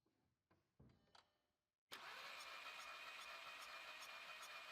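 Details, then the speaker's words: 2004 VW Polo 9N 1.2 petrol (40 kW) cranking during a compression test: a steady three to four beats a second with an airy puff. This cylinder blows back into the exhaust, with no compression; cylinder one showed 17 bar. "It's blowing back into the exhaust, so there's no compression."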